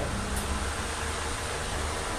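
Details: Small Vencool fan (3 µF capacitor) that would not switch on, tested on its speed settings after diagnosis; blown fuse found: steady even whoosh of air over a low motor hum, no rattle, scrape or wobble; motor runs normally.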